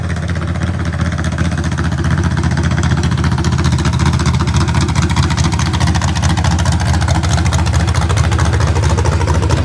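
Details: Real 1970 Corvette LT1 V8, rebuilt: deep, even rumble with a steady low beat and no knocks, ticks or misses; healthy, strong normal running.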